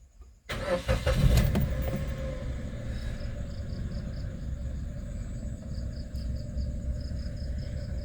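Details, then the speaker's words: Used manual car, no trouble codes or warning lights, odometer reading 67: starter turns briefly, engine fires at once and settles into a smooth, even low idle; healthy start. "Di sini enggak ada ee tanda-tanda indikator yang menyala. Entah itu dari cek engine atau yang lainnya ya, Teman-teman semuanya ya. Dan untuk mesinnya sangat-sangat halus ya. Mesinnya sangat halus."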